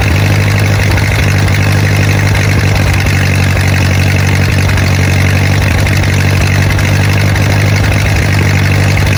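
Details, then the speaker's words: Rusty 1928 Ford Model A four-cylinder that sat 75-80 years in a ditch, started on a cold day after torch heating. Steady, even low idle with no knocks or misses. The carburetor flooded, but it runs well; the clutch is not yet working. "The carburetor started to flood out there. But all in all, she runs really, really good."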